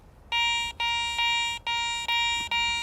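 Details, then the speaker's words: Garrett ACE 400i metal detector, 10 kHz, bench test over a bottle cap before iron is discriminated out: clean high beeps, about five in under three seconds, one per coil pass; reads falsely as a good target. "When I go over it, it sounds pretty good."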